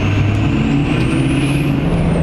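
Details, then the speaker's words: 6.0 Powerstroke diesel on a Gearhead tune, being driven after a KC Turbos 10-blade balanced turbo assembly install. A steady high turbo whistle rises and eases over the diesel drone, with slightly sharper throttle response; normal turbo whistle. "But anyway, the whistle is awesome. I'm so happy with it."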